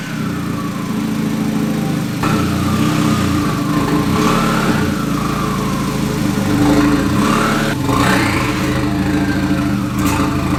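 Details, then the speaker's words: MK2 VW Golf with a swapped-in 1.8T, running and revving on its first drive after the swap: uneven knocking clatter that goes away when the clutch is engaged and returns when it's let out. Owner suspects the flywheel or clutch; not confirmed. "sounds like my my flywheel or my clutch when i when i engage the clutch that noise goes away when i let it out it's like something's hitting on something man"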